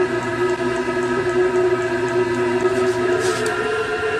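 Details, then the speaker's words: Chinese diesel heater at full power (level 10) warming up, pump ticking faster, battery voltage recovering, exhaust routed outside; steady whir with even fan and pump noise, no surging or popping; normal running. "you might be to hear that Pub's getting faster now the Vault boot is starting to recover"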